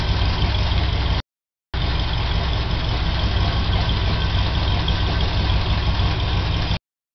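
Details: Chevy 396 big-block V8 idling: light, quick top-end tick over the lope. The noise started suddenly, and adjusting the valves did not cure it; cause unknown.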